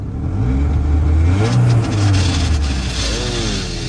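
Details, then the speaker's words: Ford Ranger at Copart auction with AC on, revved: rough groan over the rev, then wavering whine sagging as revs drop; AC compressor not happy, failing, shut off. "that's the AC compressor not happy we're gonna go ahead and shut that right off"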